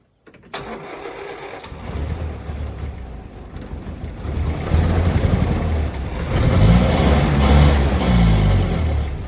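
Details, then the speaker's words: 1965 Land Rover 88 Series IIA (also called a '64), 2.5 L petrol inline four, off the road since 1996: slow, uneven cranking builds for several seconds before the engine catches and runs roughly; hard first start after long storage. "We are going to try and start this Land Rover today. 64 Land Rover 88 Series 2A. Last time it was on the road was 1996."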